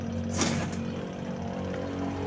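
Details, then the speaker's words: Astro spin dryer loaded with clothes, rear cover off, owner reports noise underneath. Just spun up: a steady low hum with a loose buzzing rattle below, traced to a spring spinning under the base. "Ayon tingan natin sa ilalim. Maingay daw eh. Ayun maingay nga."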